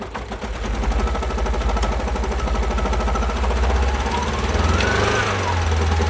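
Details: 2012 Alfa Romeo Giulietta II (Tipo 940), 1368 cm³ 120 PS petrol, engine code 940B7000, 164,000 km: lumpy, uneven idle with a heavy pulsing beat and missing firing strokes, caused by no compression on two cylinders.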